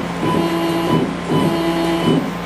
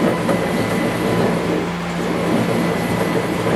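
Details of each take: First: CNC mini-mill stepper axes after tuning, velocity 50 in/min on X, Y, Z, acceleration 5 in/min², with a delay set: steady tones in timed bursts, one per jog move, smooth with no grinding; axis moving normally. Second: CNC mini-mill, 1-inch jog with gibs fully loosened: motor hum under a rough, gritty rumble throughout; the axis is binding, later traced to the ball screw end nut.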